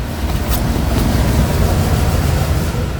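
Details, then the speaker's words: Iveco Daily raised front wheel turning: deep rough rumble and vibration with heavy friction from a blown wheel bearing, worn on both front sides; bump stops also broken and suspension out of adjustment. "Tremer, você sente muito atrito. Sente, é isso aí. Os dois Isso lados, aqui ia travar a roda. Tá tremendo um pouco, mas tá barulhando também."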